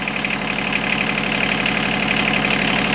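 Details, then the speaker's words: Inboard marine diesel boat engine after head gasket replacement: steady even idle, smooth regular beat, no knocks or misses; normal idle. "So now it's running and everything sounds and looks good."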